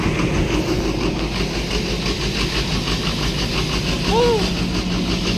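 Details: After the stuck solenoid was dealt with on an engine that had power but would not start, it settles into a steady low idle with an even chug and no misses or knocks.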